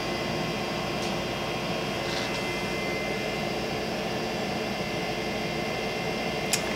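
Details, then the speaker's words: Creality CR-10S Pro V2 3D printer, idle and not printing, before a fan upgrade: steady high-pitched whir with a constant airy hiss from the stock electronics bay cooling fans, loudest at the side; loud electronics cooling fans. "a lot of that noise is coming out the side here and again this is not even printing or moving this is just the fans"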